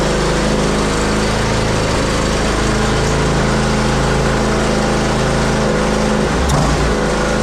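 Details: Zero-turn mower, previously a non-runner, running at steady speed after seasonal start: loose tinny rattle over the engine; owner suspects the heat deflector shield on the back.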